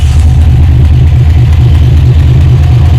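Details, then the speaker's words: 1978 Chevrolet Malibu V8 at idle: steady low beat with a loose, uneven puff underneath, exhaust felt escaping at an exhaust joint; exhaust leak. "you can hear that exhaust piece over here if you put your uh if you put your hand down there you can tell it coming out of there so that's"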